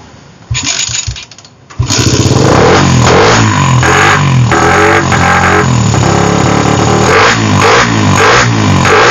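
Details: Suzuki Satria FU fitted with a PE carburetor, after replacing the carb's internal parts: it fires promptly after a short crank and revs cleanly up and down. Before the repair it was hard to start when cold.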